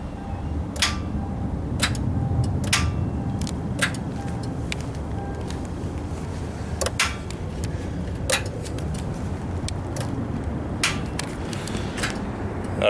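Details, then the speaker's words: Car with a failing starter, key turned: sharp clicks about once a second with no cranking; solenoid engages the starter into the flywheel but it won't crank. "so you can hear there that when you turn the key you can hear it click so the solenoid is working it's pushing uh the the starter into the flywheel uh but it's not actually trying to crank the engine"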